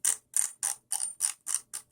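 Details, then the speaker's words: RC Sunfire buggy after a motor swap: sharp ratcheting bursts about three or four times a second with no drive note, as the pinion skips teeth on a too-loose pinion-to-spur gear mesh; the pinion needed moving in closer and was readjusted. "Okay, so needs to be in more. So let me just pause the video. Okay, so I readjusted the setting with the spur gear and the pinion gear."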